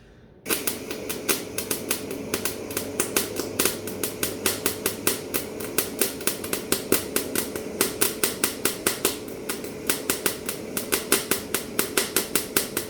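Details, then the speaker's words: MIG-style wire welding with 0.8 mm wire and the machine turned right down: irregular sputtering pops, several a second, instead of a steady crackle. The wire tip touches the metal, balls up and restrikes repeatedly because the wire feed speed is too slow. "that was wire feed speed too slow. So as you've probably seen there, what was happening is the end of the tip would make contact with the metal, and then all that would happen is that would ball up"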